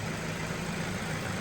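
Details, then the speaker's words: Ford Focus with head gasket issue after Steel Seal treatment: smooth, even idle with steady low hum, no knocks or misses; little cooling pressure now, temperature gauge just below halfway, heater hot, no running issues, normal idle. "The heater is lovely and hot. There's no running issues. Everything would appear to be fine."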